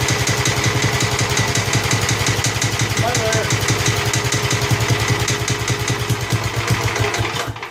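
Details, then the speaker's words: Old Snapper mower, single-cylinder engine at a steady fast idle with no knocks or misses; the engine sounds good, but the carburetor is leaking and its seat is not holding, so a carb kit is needed. "smother it. Well, gang, that's the old Snapper running."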